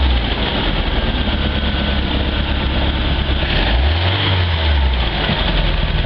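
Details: Stingray boat, 140 hp MerCruiser 3.0L inboard, after carburetor rebuild (previously started then died; fuel pump was fine): deep, steady idle without surging or dying, even firing beat; runs nicely.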